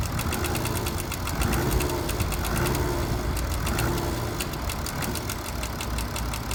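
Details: BMW F10 535d diesel: a light, sharp rattle ticking three to four times a second as revs drop from about 2000 rpm, thought to come from the rear of the engine; a timing chain fault is suspected.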